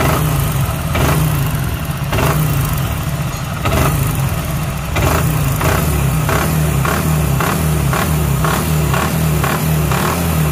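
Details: Super Splendor single-cylinder motorcycle engine, low compression, after earlier work by another mechanic: heavy hammer-like knock from worn crank and connecting rod bearings.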